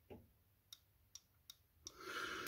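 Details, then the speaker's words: 1983 Porsche 944 during reassembly, throttle body area: five sharp dry clicks at uneven spacing, then a hiss; switch clicking as expected, owner believes the part is OK. "that's supposed to do that if it's good so you're supposed to be able to hear that clicking sound from what I've read so I think that piece is ok"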